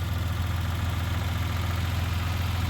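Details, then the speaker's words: 1990 Dodge Grand Caravan LE idling after being returned to running condition: smooth idle under a steady, rapid knock from the radiator fan, sounding like rod knock but getting quieter; oil pressure and temperature are good. "so anyway it's running good behind that atrocious noise yeah oil pressure looks good temp looks good where"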